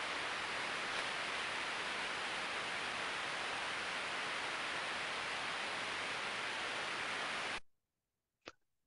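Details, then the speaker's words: Low-speed bearing heard through ultrasonic inspection equipment: a steady, even, smooth hiss with no knocks or crackle, showing no signs of wear. "se aude un zgomot lin se aude un zgomot uniform nu prezintă niște particularități de uzură"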